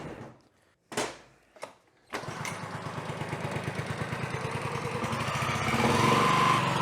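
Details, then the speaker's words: Honda HR215HXA Masters Series mower after engine teardown and repair with cylinder head refitted: a couple of quick pulls, then it catches and settles into an even, steady putter that builds slightly. Normal start and run. "well i'd say she runs"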